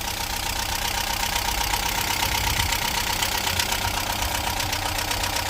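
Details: 1998 Talbot Express motorhome petrol engine idling: steady even idle, light fast patter but no distinct top-end tapping; tappets fine, plugs and HT leads checked.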